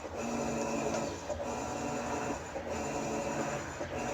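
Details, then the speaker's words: Whirlpool-made Kenmore 110.20022013 top-load washer after lid lock solenoid control board repair, in test mode: steady motor whir with even reversals about every 1.5 seconds, shifting between short and long agitate; normal operation. "there it's shifting there you go that's one of the that's the short agitate click over here are those two I think that's long agitate"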